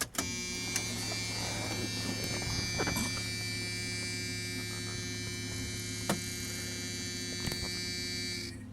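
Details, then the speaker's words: Used Edelbrock 650 carburetor just installed: electric fuel pump priming with a steady high hum and light buzz at one pitch; runs normally, no fuel leaks seen. "But what we can do is turn it on with the electric fuel pump and see if gas just comes gurgling out. Hopefully not."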